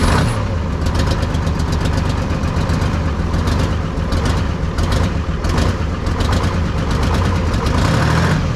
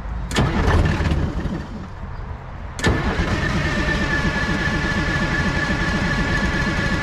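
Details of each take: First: 1970s Chevy C70 truck with Detroit Diesel 6V53 two-stroke diesel and manual transmission, sat about 30 years, first run after retracting the emergency shutoff, no cooling water: deep, steady idle rumble with an even beat, no stumbling or knocks; runs like a top. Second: 1970s Chevy C70 with a Detroit Diesel 6V53 two-stroke that sat 30 years, after the throttle linkage was smacked with a hammer: steady cranking at about three beats a second that never catches; no-start.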